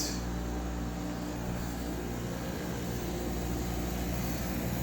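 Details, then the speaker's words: Soleus Air (Gree) dehumidifier, eight or nine years old, after replacing the failed relay that kept the compressor on: steady low compressor hum with even fan whoosh, no clicks, no sparks; running normally after repair. "working I don't see any Sparks compressors working the fan the fans blowing"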